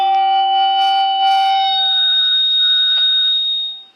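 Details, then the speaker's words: PA loudspeaker with microphone at a function: loud piercing high-pitched screeching feedback howl, pitch jumping higher before cutting off. "ऐसी screeching beep high pitch की लाउड आवाज आने लगती है और सभी अपने अपने कान बंद कर लेते हैं।"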